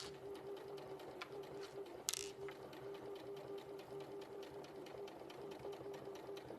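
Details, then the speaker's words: Sewing machine sewing binding through all layers with a 1/4 inch seam, sounding clunky just before: light, even, fast stitching hum with no knocks or catches. Sounds better; normal running. "Is your needle okay? That sounds better."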